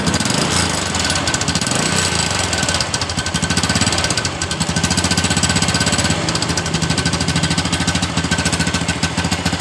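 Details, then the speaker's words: Revo Absolute motorcycle, cold engine, listened at the right crankcase: harsh, fast metallic clatter over idle, rising with throttle; worn gear with excess play, noise reportedly fades once the engine is warm. "dan kata pemiliknya juga ketika motor ini sudah panas suara yang semacam bunyi besi yang terlepas seperti itu biasa hilang"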